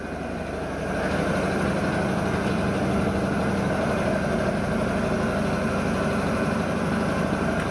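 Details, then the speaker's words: Port main diesel engine of the long-dormant ship MV Steve Irwin just after an air start: deep, steady idle thrum with no knocks or misses; good oil pressure as the governor takes over RPM control. "okay so she's all started up good we got good oil pressure the governor's just take just about taking the RPM off me"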